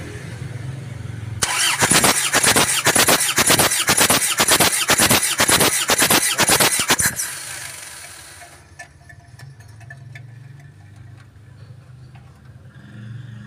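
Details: Isuzu Panther Touring diesel overheated after running out of coolant on the toll road, cranking without firing during compression test; steady chug about two beats a second for six seconds; low compression on three cylinders, only number four good, scoring found.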